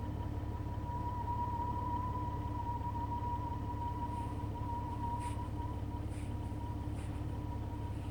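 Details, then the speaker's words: Running Jeep with radio off: thin steady high-pitched tone wavering slightly over a low drone; weird whine, source unknown, not the radio. "My Jeep's making a weird noise. Sounds like it's trying to connect, like, contact alien life forms or something."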